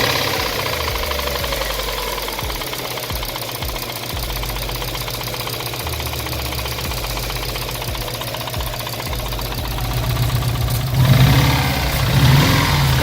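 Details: Subaru WRX with swapped JDM engine, restarted after refilling with new oil: a hard, regular knock about four per second growing louder, a bottom-end knock. Owner suspects the oil pan and sump were starving it of oil; unconfirmed.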